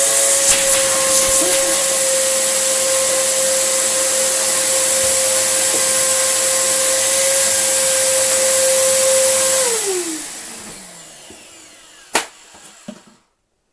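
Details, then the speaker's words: Samsung SU3364 upright 1800 watt vacuum: steady high whistle over the roar, falling away as motor spins down; suspected huge air leak, still has suction, source not yet confirmed. "sounds like there's a huge air leak coming from it somewhere"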